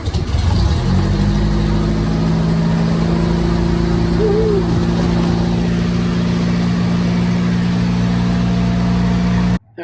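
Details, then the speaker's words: 1961 Triumph TR3A after carburetor rebuild, cold start on choke: engine catches quickly and settles into a steady, even fast idle, then stops; previously needed starting fluid. Normal cold start. "It started right up. I mean, super easy. Just pulled the choke, cranked it, and it hit right off."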